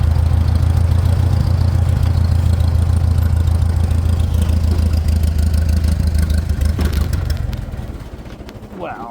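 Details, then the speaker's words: Farmall 400 tractor that runs only on choke, about 15°: low steady idle for about seven seconds then sags and dies; stalls, owner suspects it isn't getting gas. "what the heck it's like she doesn't not getting gas again"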